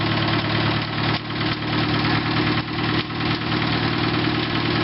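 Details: 1948 Farmall Cub tractor right after a cold start without choke: old engine chugging at a slow, slightly lumpy idle and running on without faltering, a little stiff; normal cold idle.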